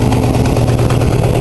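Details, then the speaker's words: Oldsmobile V8 idling: lumpy idle with an uneven puffing tick from a worsening exhaust manifold leak; rear stud broke off, letting the manifold warp away; one valve also runs rough, believed cylinder 7. "but I've got an exhaust leak right there I can actually feel it and it's getting worse"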